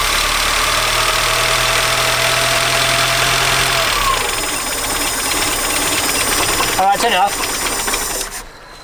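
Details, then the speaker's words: 1976 Peugeot 204 that sat in a shed about 10 years: engine catches and runs rough and uneven with odd noises, then the low rumble dies as it burns only the fuel left in the float bowl; stalling from fuel starvation. "not gonna be any there's only the fuel in the fuel bowl so making weird noises anyway"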